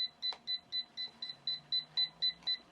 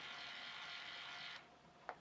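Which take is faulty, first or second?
first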